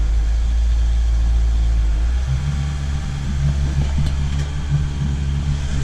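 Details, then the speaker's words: Starboard boat engine after cleaning injectors on cylinders 1 and 2, which had caused a misfire breaking up around 2,500–3,000 rpm with no load: deep steady rumble stepping up and holding even, no stutter; now runs smoothly. "There'd be a little bit of a misfire. You could see it in the motor, you could hear it, you could feel it in the boat. And now, it's running smooth."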